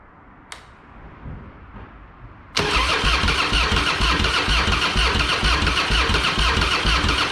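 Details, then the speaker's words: Harley-Davidson Fatboy with Screaming Eagle kit (new heads, ignition, pipe), sat for years, fresh high-octane fuel, Mobil 1 20W50, battery tended overnight: quiet cranking, then V-twin fires into loud even lumpy idle once fuel valve is turned on. "thank you hmm interesting it's helpful if I turn the fuel on first idiot"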